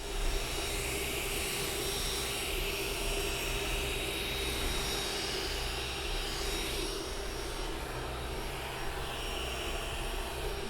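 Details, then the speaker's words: Creality Ender-3 S1 Pro 3D printer, new, microphone brought close: soft steady fan whir with faint, muted stepper motor tones shifting as the head moves, no grinding or clicking; running normally and moderately quiet. "So as far as the sound, it's actually pretty quiet. It's not completely dead silent. Like, you can hear the steppers working, they're just very muted,"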